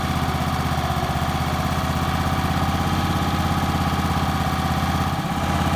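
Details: Small portable generator, pull-started with a dead battery and the choke pushed off as it warms up: the engine putters at an even, steady idle, then shifts smoothly to a new steady note. Normal idle.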